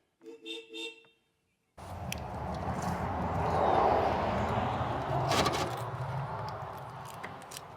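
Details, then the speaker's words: Old Ford mobile-home mover truck, long sitting, suspected of getting no fuel or a faulty control box: after a horn toot, the cranking swells briefly as the engine catches then fades, possibly just leftover ether; some smoke followed. "look at that oh that might have just been The Ether left in it sir that could have been just The Ether left in it"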